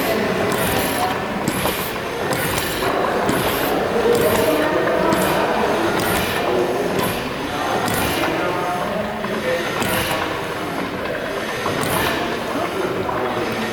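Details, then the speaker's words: Gaswerk Schlieren stationary steam engine, slowed with main valve: rhythmic steam puffs about once a second over clanking valve gear, easing and returning as the governor counterweight is pulled by hand to simulate regulation, first-cylinder inlet valves reacting; normal governor action. "so volters used the main valve to slow down the machine to a speed where we could neatly see the first cylinder Inlet valves reacting to the regulator again watch and listen as volters pulls on the counterweight of the regulator simulating it coming into action"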